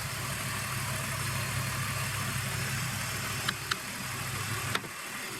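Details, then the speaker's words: BMW E46 idling during a DIY AC recharge from a can: a steady idle with a few sharp clicks and a slight dip as the compressor clutch cycles in and out from low refrigerant charge; vent temperature still 23 °C. "Maybe it just needs some run time. And you can hear the clutch kicking in and out."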